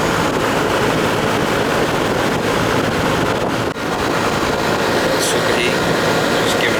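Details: Central AC after repair, compressor had tried but failed to start: steady even condenser fan rush with compressor running underneath, no clicking or stalling; superheat 25, suction 63, charge fine, running normally.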